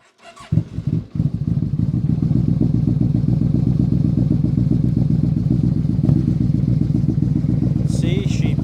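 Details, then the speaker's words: 2008 Yamaha Royal Star Venture 1300, a liquid-cooled V4 stated at 58,4… miles (figure cut off). After starting in neutral it holds a lumpy, uneven idle, smells of gas and puffs some black smoke; the carbs are dumping too much fuel. "starts up idle's okay a little rough idle there but you leave this thing idling you can smell the gas you can almost see a little black smoke coming out sometimes"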